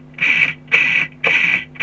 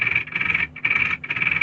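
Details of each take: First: Tamiya Super Champ RC car with the motors just installed and the gear mesh reset, drivetrain spun by hand. Short, even whirring bursts about twice a second; the mesh is smooth, only slightly notchy or a bit coggy, and feels alright. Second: Tamiya Super Champ RC car, hopped-up with a 10.5-turn motor: hand-turned gears give high whirring in three short gritty bursts, sounding too tight despite free play; owner suspects pinion not square, unconfirmed; tight gearbox.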